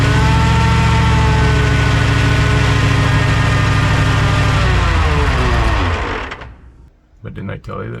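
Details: 1969 Ford F-100 with a naturally aspirated 460 V8, first start: a loud, steady whine over a smooth idle that fades at shutdown. Coming from the drivetrain, not the engine; it stopped the cam break-in.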